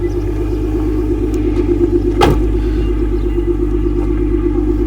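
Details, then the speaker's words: Nissan R35 GT-R, oil temp 72, water temp 84, transmission temp 60, not leaking coolant when cold: steady deep even hum, smooth exhaust note, no knocks or ticks; running normally. "Sounds sweet as well. You can hear the engine, hear the exhaust."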